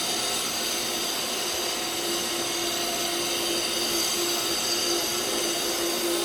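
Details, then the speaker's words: Pool cartridge filter pump switched back on in service mode after filter cleaning: steady, even rush of water and motor hiss with no knocks or surging; the pump runs normally. "you could either put it on auto on service the filter pump and you're gonna hear it like this about clicking water"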